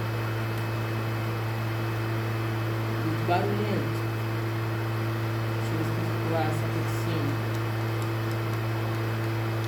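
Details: PlayStation 3 that makes loud noise and shuts itself off: a steady, loud whirring hum at one pitch with no speed change; loud cooling fan noise.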